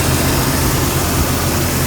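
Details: 1999 Jeep Cherokee XJ 4.0 inline-six at normal operating temperature, idling around 725 rpm after new Champion Copper Plus plugs, cap, rotor and wires at 60,000 miles: low, even idle with steady throb, no misses or ticks; normal idle.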